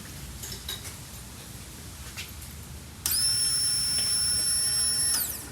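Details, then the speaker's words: 1984 Pontiac Fiero that sat in a barn over 30 years, new fuel pump and sending unit temporarily connected during rusty tank replacement: key-on gives a quiet, steady high whine for about two seconds that stops cleanly; normal fuel pump priming. "yeah awesome all right cool sounds like it's working it's not real loud pretty quiet hopefully it's doing its thing"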